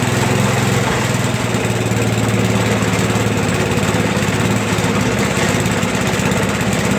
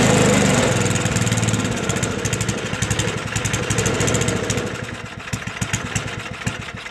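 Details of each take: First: Toro 421 snowblower, rusty, first cold start in about 2 years, started in a couple of pulls after fuel turned on: small single-cylinder engine buzzing at steady speed, even, no misses or surging; running healthy. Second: Toro 421 snowblower, rusty and unstarted for about 2 years, cold start after a couple of pulls: small single-cylinder fires, then beat slows and thins as it runs short of fuel with the fuel valve shut; fuel starvation.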